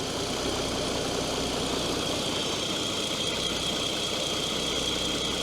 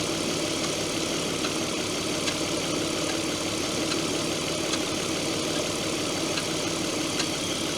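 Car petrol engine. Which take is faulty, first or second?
second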